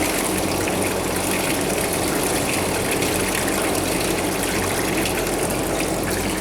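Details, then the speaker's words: Commercial wash system's wash pump running normally after kicking in, with the hot valve open and acid dosing and agitator working: steady rushing water over an even pump hum, no knocks, rattles or squeal. "so the other pump you can do the tone change because it's pumping against a shut tap but this one's kicked in now"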